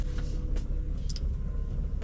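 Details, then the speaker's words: Used BMW M135i at idle: low rumble with scattered light metallic ticks and a horrible rattle that goes away in gear and returns off throttle; origin unclear. "one of them there is a horrible rattle there turn it off again"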